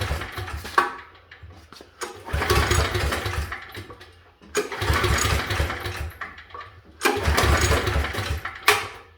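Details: Pull-start generator not run since last winter: about four separate rope pulls, each a short rasping crank that dies off with no firing between them. It won't start; the owner suspects he's forgotten some detail.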